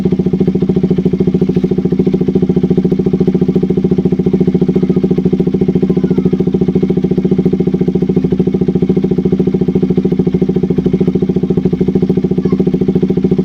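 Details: KTM RC 200 single-cylinder after replacing a faulty spark plug cap that caused stalling, no-start and rough idle. Even, regular thumping at a steady idle of about three beats a second, with no stumbling or hunting; idles healthy.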